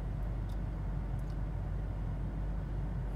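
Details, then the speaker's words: Volvo, after replacing the failed fuel pump electronic module (PEM) that caused crank-no-start, AC off on an 80-degree day: engine starts and holds a deep, steady, even idle rumble without stumbles or surging; idling strong, normal. "idling strong yep so i'm gonna button it up and see from there"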